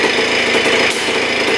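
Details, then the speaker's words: 1976 Honda CR250 Elsinore two-stroke dirt bike, first start after choke and fuel on, no silencer fitted; loud, crackly, high-pitched steady running with no knocks or weird sounds; healthy, slight backfire on kickstart. "holy cow she fired right up man does that sound good it's really loud without the silencer like Extremely Loud I don't know how people rode it like that but man it sounds good no knocking in the engine no weird sounds coming from the engine"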